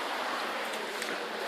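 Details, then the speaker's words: Worcester Greensource 6 kW air-to-air heat pump outdoor unit on heating, mic held close: soft, even airy fan hush with no hum, rattle or knock; very quiet, healthy normal running. "Very, very quiet. You'll be able to hear how quiet it is. I put the close to that. Very, very quiet indeed."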